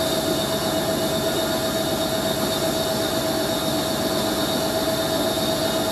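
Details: Hoover A3060 Electronic 1100 washing machine on Programme D, Fast Coloureds 60°C, during its 1100 rpm spin: a steady high screech rides over the fast spin roar without changing. Worn, dry motor bearings squealing.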